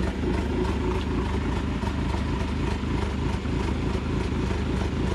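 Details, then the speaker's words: 2020 Ford Mustang EcoBoost HPP, MAPerformance Stage 1 short block, Ford Performance camshafts, balance shaft delete, idling with cams tuned and locked in maximum overlap: loud, lumpy chop about three times a second, whole car shaking like a race cam. "we're going to lock the cams in the overlap position maximum effort maximum EcoBoost chop hit it holy crap that is true cam overlap chop who says EOS can't shop they sure can"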